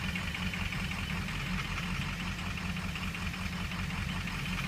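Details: Ford 6.0 diesel at idle: light ticking knock two or three times a second, not fully even; knocking noise, cause unknown.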